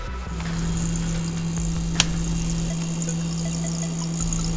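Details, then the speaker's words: Samsung refrigerator after replacing the defective compressor relay on the control board: steady low compressor hum with no clicking or labouring; compressor now starts and runs normally, earlier it failed to restart after cycling off. "I don't know if you guys can hear that or not but that is the compressor humming away"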